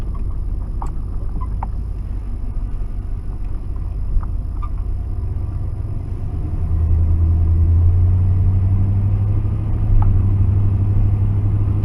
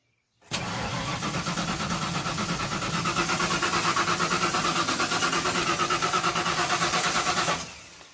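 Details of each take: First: 1992 Ford F-150 4x4, 302 V8, sat 10 years, after reconnecting a loose vacuum line, with the alternator charging: steady low rumble and an even idle with no knocks or misses; runs fine. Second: 1992 Ford F-150 4x4 with a 302 engine, sat 10 years, with a newer coil: the starter turns steadily, about three beats a second for seven seconds, and it never fires. Crank no-start, cause unconfirmed.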